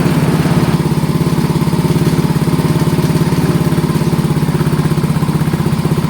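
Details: Mio i125 scooter single-cylinder engine running with a steady, even thump about three beats a second after checking compression and valve clearance at zero timing mark on a no-start case (battery strong, spark and fuel present); sounds healthy.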